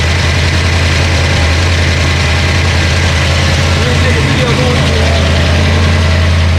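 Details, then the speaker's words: Ford Mustang 302 HO small-block V8 budget build after flooding (stuck carburetor needle and seat, fuel pump left on); now running way more happy: deep, steady, even idle rumble, no misses or ticking, healthy. "the motor it's way more happy you can see we have to clean up a lot of crap all over the place but when you hear it this time it's gonna be right"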